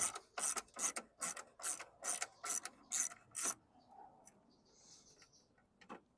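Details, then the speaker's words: Lawn mower bought as junk with a dry tank. Nine dry ratcheting pulls, about two a second, then silence; the recoil catches poorly and the engine never turns over. The owner thinks the recoil needed lubing. "I wish this recoil would have worked I just wanted to juice it with some nitol and see if this fired off since the tanks dry just might pour a little fresh gas in it"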